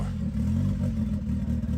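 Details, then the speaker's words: Abandoned turbo Honda Civic after vacuum line changes, no longer stalling: a low, lumpy idle with an uneven, stumbling beat. The AFR gauge reads 10.0, far too rich, most likely from too little air on the turbo side. "Nick changed something in the vacuum setup and the engine started running better. It's still not perfect, but at least it doesn't stall anymore."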